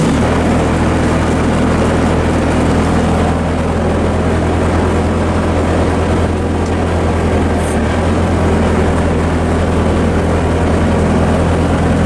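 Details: Bobcat 763 C-series Hi-Flo diesel skid steer after a lift/tilt BICS bypass, running with the auxiliary hydraulic controls engaged: a steady low drone holding an even pitch with no bogging or labouring. Normal running.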